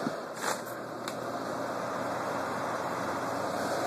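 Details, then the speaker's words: Carrier window AC, R22, 8,300 BTU, US-made, well used but well kept; fan-only startup, a couple of light knocks at switch-on then steady even airflow, quiet; normal fan operation. "i'll go ahead and do a startup with a fan here really quiet obviously this is blocked so it's not very careful but out here there's great airflow"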